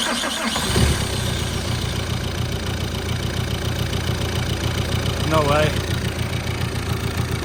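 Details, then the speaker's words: Astra H van, Z19DTH 1.9 diesel after top-end repair with new injectors, engine mount not fitted: rough rhythmic wobble pulsing about three times a second over the idle clatter; owner suspects the missing engine mount, sounds cam-like, cause unconfirmed. "Is it making that wobbling sound because I haven't got an engine mount on it?"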